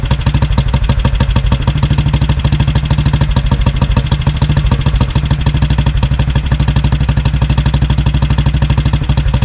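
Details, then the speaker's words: 1957 Royal Enfield 500 Bullet single, first run after sitting: thumping idle firing unevenly, smoothing to a steady beat as petrol runs out with the tap off; flooding, carburetor to be removed next. Rich running from flooding. "And you can see here as it starts to run out of petrol, it starts running nice and evenly. So, I was just flooding it."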